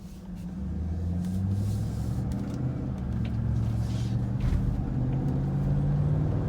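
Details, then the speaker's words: 2007-2014 GMC Yukon after front wheel bearing replacement, driving through a left turn at night: only steady low road rumble, no growl or hum rising with speed; bearing now quiet, normal wheel bearing. "But heading back to the house, and bearing's super quiet now. I'm going to make this left-hand turn. Before it used to growl and make all kinds of noise."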